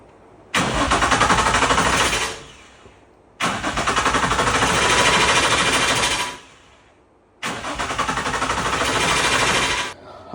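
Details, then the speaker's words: 2004 Infiniti G35 with a swapped engine that died after 30 seconds at the track: three long, even cranks with no firing; no fuel reaches the injectors despite a new hardwired fuel pump. Owner suspects a clogged rail or injector, or the fuel pressure sensor. "battery. as you could hear it constantly going on. I just tried to crank it. No fuel coming out the injectors at the track."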